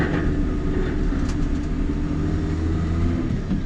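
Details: JCB Fastrac 3170 with 5.9 Cummins diesel, after sealing the leaking exhaust manifold with silicon to cure chuffing: deep steady idle rumble, even beat, no puffing or ticking from the manifold; running cleanly.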